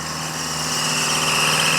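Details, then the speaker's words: Old Oliver tractor with a Detroit diesel on its first start of a chilly morning: steady high-pitched belt squeal over the engine. It happens for a couple of minutes on every first daily start even after tightening the belt. "Tighten the belt. We've done everything, but the first time you start it up every day, it squeals like that for a couple minutes."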